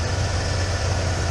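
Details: 1996 Ford F150 V8 pickup after repairing a high idle (owner suspected bad TPS; TPS, throttle body gasket and hose replaced), backed outside, cooling system bleeding, not yet at temperature; deep even burble, proper idle about 950 rpm by gauge.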